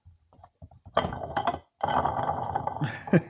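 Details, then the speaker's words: Dodge Durango 4.7L water pump removed and spun by hand: loose, gritty rattle and clatter from a worn-out bearing, likely bad for a while; pump being replaced. "thing is bad it must have been bad for a while because uh I mean it just doesn't get that bad that fast I don't know I just I just happened to hear it it must have been rattling for a while"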